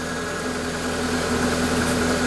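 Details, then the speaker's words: Proton Wira being returned to the road after 12 years of storage, airbox off, running on old fuel: steady idle hum with slight unevenness, a touch rough just after starting. "But it's not got the airbox on. Doesn't start how it would. But then again, it's not been anywhere. It's got gamo fuel"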